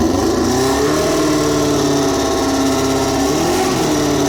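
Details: Formula 4 race car running on alcohol fuel, just after a fuel-leak O-ring repair: a strong, steady engine note rises and falls under throttle blips and runs evenly without misses. Normal idle and revving; it seems to flood on starting.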